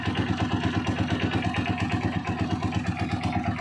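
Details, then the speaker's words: Honda TMX single-cylinder motorcycle at idle after tune-up and oil change: light regular metallic ticking over thumping exhaust from worn cam follower; valve clearance was very loose. "yung lagitik na yun C follower yan Yan yung naka-idle ka lang tapos lumalagitik yan C follower yan"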